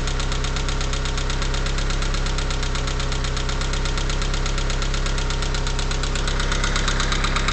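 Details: Mitsubishi 4G63T engine with 143k miles, cold start after 8–10 hours: even, quick ticking knock about three or four per second, lasting about a minute and gone when warm. Owner suspects lifters or piston slap; unconfirmed.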